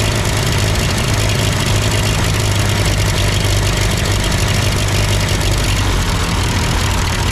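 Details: Ford 8N tractor at idle with no load and the engine hot, just after a carburetor adjustment. It had sputtered uphill, blamed on a cheap Chinese carb; an old Marvel-Schebler ran fine. Steady, even smooth low rumble, no misses or knocks: normal idle.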